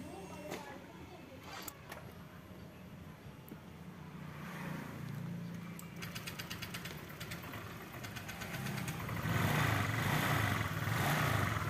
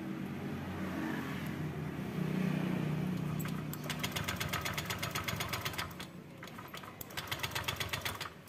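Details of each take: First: Honda Vario 125 that would barely start and stalled at idle, after replacing the wrong-spec spark plug and fitting a racing plug cap: a few clicks, then it starts and settles into a steady, even idle with a light rev. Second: Honda Vario 125 scooter, no error codes, fuel pump pressure normal at about 40 PSI: cranks in quick uneven pulses but won't start, dies at idle if it runs; weak spark, wrong spark plug suspected.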